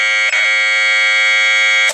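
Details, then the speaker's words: Data-tape tone of a Space Invaders .PRG played from PC sound card onto tape for a Commodore PET CBM 4032 datasette, played back on the tape player: loud steady high-pitched leader tone holding nearly two seconds then cutting off; sounds like a normal computer tape. "see if we get something that sounds like a computer tape you know let's see what happens there we go I didn't sound too bad"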